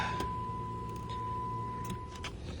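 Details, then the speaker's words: Key-on on a 2011 Dodge Challenger that cranks but won't start, with water in the trunk: steady electric hum for about two seconds, then a clean shut-off, the fuel pump priming normally. "I heard the fuel pump I heard the fuel pump you know"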